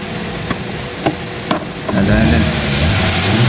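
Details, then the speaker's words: 2014 Hyundai Accent automatic, formerly hard starting: a few clicks, then it starts on one click and settles into a steady even idle; normal start and idle. "So ngayon try natin i-start ayun one click na. Oo one click na lang"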